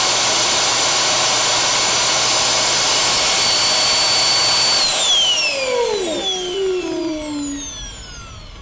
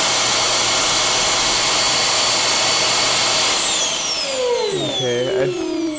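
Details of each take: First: Dyson vacuum with a non-working roller brush, brush motor loose on the bench with suction switched on: loud high-pitched whine runs steady then sweeps down as the motor winds to a stop; cutout cause unknown. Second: Dyson vacuum with a non-working roller brush, brush motor loose on the bench, pulsed on: steady high motor whine, then falling tones as power drops and it winds down; brush motor spins freely and works.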